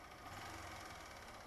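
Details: 2015 Honda Fan 150 at 62,000 km, with idle being adjusted after the earlier engine noise dropped a lot; owner suspects a clogged or weak oil feed to the top end: even, busy idle with a steady beat and no tapping; normal idle.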